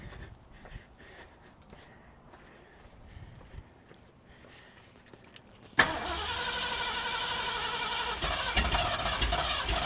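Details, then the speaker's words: 1973 Mercury Cougar 351 Cleveland V8 revival, carb not rebuilt, timing just set: quiet cranking, then sudden rough roar, surging and uneven as if starved, then stalls; owner suspects the cheap clicky electric fuel pump. "one thing I forgot about is this thing had one of those cheap clicky clacky fuel pumps on it so I think this fuel pump might be bad"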